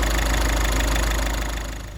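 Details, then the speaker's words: Ford Transit Connect diesel after early timing belt failure repair, idling after first start-up; even, low idle with a steady beat, no knocks or rattles, settling smoothly, running great. "put on but yeah look it's running great"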